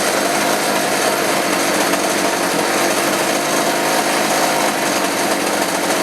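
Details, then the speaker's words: Roughly 35 cc two-stroke chainsaw with 14-inch bar after replacing the bad spark plug and a carb adjustment; hard steady high-rev scream without stumbling or bogging, running properly and good to go. "okay run a little longer but looks like it's good to go"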